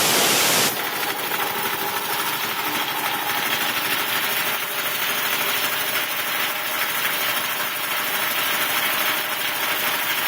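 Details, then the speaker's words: Quincy air compressor running normally after a blown 30 A fuse was replaced: steady, even pumping chatter with an air hiss and no knocks. It kicks on at about 60 psi and cuts out at 165, now at about 140, and the tank drain works. "Yeah, see right now it's kick on point, so it goes all the way down to about 60 degrees or 60 pounds."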